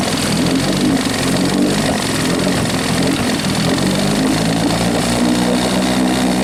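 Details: Rebuilt 1963/64 Evinrude 40hp two-stroke outboard, throttled down slow, likes the choke, peeing water: even buzzy drone at steady speed without sputtering; runs but can't be killed, kill switch unresolved.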